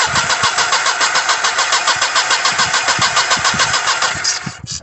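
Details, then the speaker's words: Petrol car: steady starter cranking at about 3.5 beats a second, engine never catches. No fuel at the rail and no spark, fuel pump powered; ECU or crankshaft sensor suspected, not confirmed. "you can see there's no spark there so there's no fuel and no spark so it's probably pointing to either an ecu problem or a crankshaft sensor"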